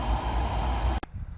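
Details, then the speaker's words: 2015 Chevy Camaro 2SS RS convertible, 51,000 miles, after replacing the cabin filter: soft steady fan hiss with faint even hum, no rattle or whine, then cuts off; blower quiet and healthy. "You can hear the new one. It's quiet. I'm going to call that a success."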